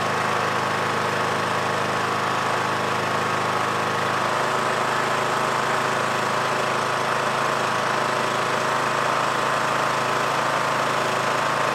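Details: Yard Machines MTD lawn tractor, 20hp Briggs single-cylinder OHV, starting after magneto bypass for no-spark no-start; steady, even constant-pitch drone with no knocks or misses: normal running.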